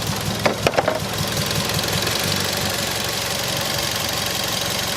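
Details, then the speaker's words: Mazda3 at idle: uneven idle with rhythmic stumble and thuds, misfire caused by loose ignition coil hold-down letting coil sag; plugs to be checked. "all right so right there you can hear the misfire happening it's very very obvious"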